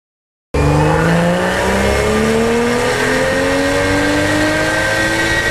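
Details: Car revved, heard outside at the exhaust and in the cabin when driving spirited: piercing high-pitched screech climbing with revs; owner wonders if it is turbo spooling or from the air filter, not confirmed.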